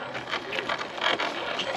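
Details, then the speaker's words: Carisma SCA-1E Toyota Tacoma TRD Pro RC crawler on trail after greasing the dry gearbox: light electric whir with soft gear chatter while crawling; smooth, quieter than before, no grinding. "I like that noise and this is quieter than before I grease that gearbox"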